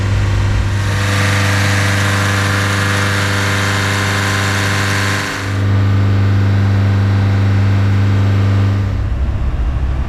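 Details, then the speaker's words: 2018 Nissan Qashqai J11 1.6 dCi 131 hp diesel during a scanner-commanded forced DPF regeneration: steady droning raised idle above 3000 rpm, dropping to just over 2000 rpm later in the roughly 15-minute regeneration. "ascultați băieți motorul la ralanti este peste 3000 se întoarce apoi efectuând regenerarea forțat"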